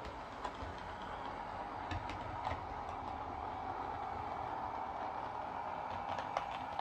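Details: Lima Eurosprinter model locomotive running on the layout: quiet, steady growly motor hum with light irregular rail clicks, smooth and even, no hesitation; heavy loco runs well now.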